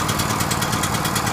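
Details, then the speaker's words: Powerhorse generator small engine, first start after carburetor replacement, choke on, not run in over a year; loud uneven pulsing beat about eight a second with dull rattle, smoking hard, hunting and struggling to settle; rough running. "see she's smoking hard I'm going to let it run here sounds like it's struggling"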